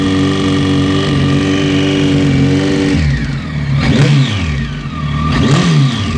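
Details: Kawasaki ZX14 engine idling then blipped twice; rough mechanical rattle rises with revs, owner suspects piston slap, cause unconfirmed.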